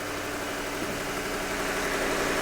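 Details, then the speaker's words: Ford V8 Crown Victoria ex-City of Cincinnati police car, abandoned in a garden, started on a very hot, humid day; an even, slightly lumpy idle with a quick blip, running steadily after storage; normal idle. "Oh, that sounds a bit fruier, but it's running."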